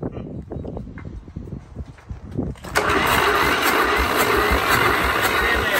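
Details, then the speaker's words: Free diesel engine with the oil bath air cleaner removed, which would not fire even on ether: rapid even cranking pulses about three a second, then a hiss; it has compression but never starts; valves to be checked. "there that is crazy it's got compression I'm stumped how's it not even hiding a lot it's crazy"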